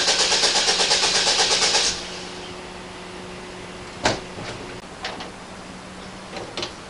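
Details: 1998 Oldsmobile Bravada that quit on the freeway and won't start unless gas is poured into the throttle body: the starter cranks at a steady rhythm for about two seconds, then stops without the engine catching, followed by a few clunks; suspected fuel problem, unconfirmed.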